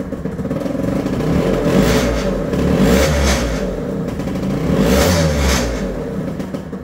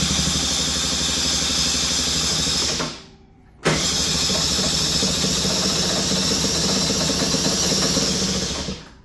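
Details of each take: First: Two-stroke scooter, cold start with the manual choke lever applied after showing a failed start without working choke: fires right up, revs rise and fall cleanly without stumbling; normal cold start on choke. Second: Cold two-stroke scooter, choke deliberately left off to mimic a failed auto-choke, cranked with throttle: buzzes and flutters, stumbles, cuts out and never catches; cold start failure from inoperative choke.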